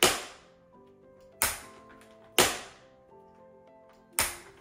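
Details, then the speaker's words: Bissell wet/dry vacuum cleaner: four sharp, loud cracks as the handle is pulled back to recline it, sounding like plastic breaking in the handle joint. "you obviously have to pull your handles back and when I do this with the Bissell you can hear a very loud noise"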